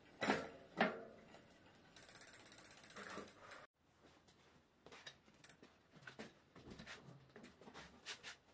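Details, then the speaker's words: Bicycle disc brake after removing disc and pads and degreasing oil contamination that caused squeal and poor stopping, rear brake readjusted: spinning wheel gives only freewheel clicks and soft rubbing, no pad or rotor squeal; quiet brake. "après cela, votre vélo ralentira. bonne qualité. il n'y aura pas de sons parasites."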